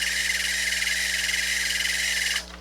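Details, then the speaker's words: Pioneer CT-8R cassette deck in play: shrill, fluttering squeal over a low mains hum, cutting off as playback stops; squealing reels need lubrication, and the mechanism had a jammed cassette and drew excess power. "when they hear that squealing like that that's the reels they need lubrication"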